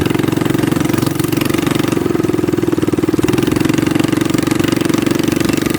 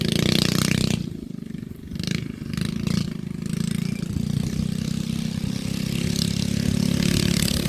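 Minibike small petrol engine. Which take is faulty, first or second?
second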